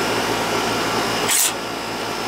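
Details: Outdoor AC condenser for the first floor, compressor about 20 years old, reported running but not cooling; left running to check charge: steady even fan rush with low compressor hum, a brief hiss midway, no rattles or cycling; running normally.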